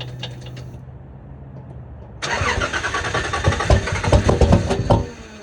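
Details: Cold start of a Nissan Z31 with VG30E/T engine after sitting 3 months, about 50°F outside: starter catches into an uneven, lumpy idle with irregular chuffs; owner suspects leaking upper plenum and lower intake gaskets, not confirmed.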